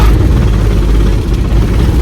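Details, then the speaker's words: Mercedes OM617 diesel in a Jeep, dead cold, after primer pump replacement and lift pump rebuild, long glow, no throttle: fires right up into deep steady even rumble; normal cold start. "So I'm hoping that it still fires right up like it did yesterday, even after a cold start."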